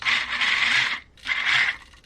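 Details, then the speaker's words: Vanquish H10 Optic RC crawler, Hitec HS55 servo on throttle channel 5: two sharp, chattery high buzzing bursts as it moves, much harsher than SG90 servos; the owner plans to switch to SG90. "But yeah, you can see how much quieter the SG90 servos are versus the HS55 from Hi-Tech."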